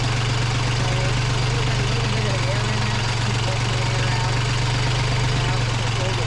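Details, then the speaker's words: Sailboat diesel idling after a plugged fuel line between tank and lift pump was cleared (fuel problem, not engine): steady, even low thrum with regular beat, no knocks or misses; idling smoothly. "It's not an engine problem, it's a fuel problem. And it's a fuel line that got plugged from the tank to the fuel lift pump."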